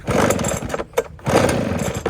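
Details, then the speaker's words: Roadside-found Echo backpack blower that was locked up, first start on ethanol-free 25:1 two-stroke mix, on choke: uneven sputtering bursts as it catches and comes back to life, very smoky from transmission fluid not yet burned off. Runs great. "well there you have it how long did it take 10 minutes thing runs great it's just uh very smoky"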